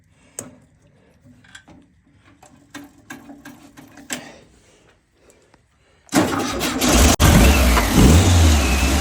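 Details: VW air-cooled flat-four mystery engine, not run in 30+ years, after several quiet cranking attempts catches at six seconds and settles into a loud, steady, even run.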